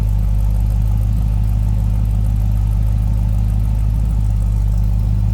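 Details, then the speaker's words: 1966 Ford F100 with 403 V8 idling, recorded at the rear by the tailpipe; deep, steady throaty rumble with even low beat, no misses or knocks; healthy. "I'm gonna slip around to the back so you can hear that run a little bit here. Throaty exhaust, no doubt."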